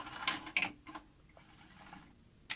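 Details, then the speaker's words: Grundig 2x4 Super V2000 video recorder after fitting a replacement loading-motor drive belt and centring the capstan flywheel meander plate: crisp clicks and a short whirr as the cassette draws in, then quiet running. Loading sounds clean and healthy. "i'm hoping this new drive belt will give us a good clean eject mechanism let's see how it goes let's start by does it load the tape okay"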